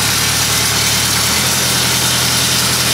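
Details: LeeBoy 635B motor grader idling: harsh, hissy metallic clatter with no clean rhythm; broken drive chain and bearings in the chain case.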